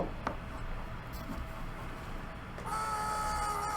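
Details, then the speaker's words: Dropped Dell Inspiron 15 laptop: a low, uneven rumble, then a sudden steady high whine around 800 Hz and 1.2 kHz from the CPU fan, which stops spinning when pushed to full speed; a screw was found missing inside. "it's definitely from the cpu fan"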